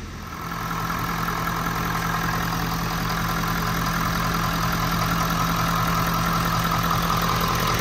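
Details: 6.7 Powerstroke diesel, first start after a complete CP4 fuel system replacement and priming, with little fuel in the tank: it catches and settles into an even, steady diesel clatter and rumble at idle, no misfire or knock. Normal idle.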